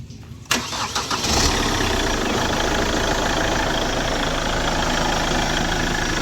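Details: 2010 Chevrolet Captiva diesel started after a full turbo-intake and fuel-line cleaning; carbon sludge in the intake had made pull-off sluggish. Starter cranks briefly, engine catches and settles into a steady, even diesel clatter: healthy start.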